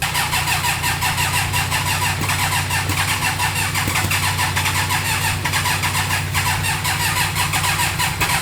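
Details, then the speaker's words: Rebuilt turbo GSXR motorcycle engine (about 300hp) in a 6x6 mini Jeep, first start with fuel system and turbo oil drain not fully connected: quick even firing, steady idle, faint whistle; sounds healthy. "Okay, so we know this engine runs. Our fuel system isn't really hooked up. We're missing some A lines. We're missing an oil drain for our turbo. We're missing a lot. But we put this thing back together with random eBay parts. It starts up. It sounds healthy."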